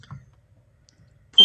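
Faint handling clicks, then a single loud, steady high-pitched beep as the smoke alarm powers up.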